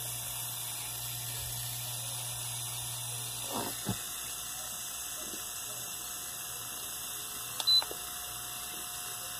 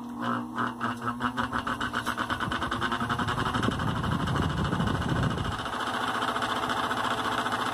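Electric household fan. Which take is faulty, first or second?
second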